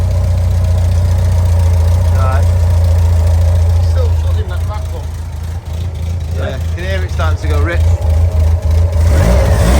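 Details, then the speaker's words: Customer engine on secondhand dyno for gentle running in, restarted after reconnecting fuel pipe to pump and letting carbs settle: steady, even low idle picking up cleanly with a blip of revs; engine has settled and runs smoothly. "Give it some RPM. I think it's settled now."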